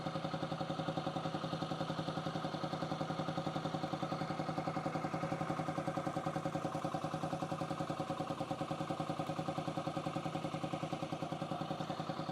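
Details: 2008 Yamaha XT125R Big Wheel, stored 12–15 years, carb cleaned, new battery: quiet, even single-cylinder tick-over, steady quick beat, no misses or knocks; normal idle while alternator output measured at 14.74 V.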